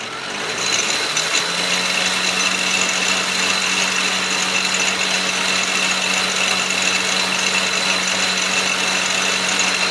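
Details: Atlas Clausing 4800-series 12" lathe with old, slipping belts, belt on the middle setting and clutch engaged. Loud, harsh grinding sits over the steady drive whine; a gear below was found to be grinding during the test run.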